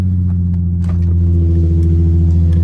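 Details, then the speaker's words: Nissan 350Z just revived by jump pack after a flat battery: deep, even engine drone with a steady low rumble and a slight rise in revs, smooth; normal running. "and hopefully this is what you hear when you start. All right, she's alive again."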